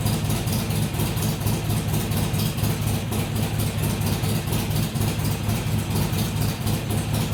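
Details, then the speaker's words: Harley-Davidson XR1200 V-twin at cold start after tuning changes, idling with a steady, even, lumpy beat and no hunting; cold idle issue fixed. "well that's the best that thing I started up and just idled without messing around since I've had it you can see there was no uh there was no hunting around it just fired up settled into an idle and didn't mess around after that"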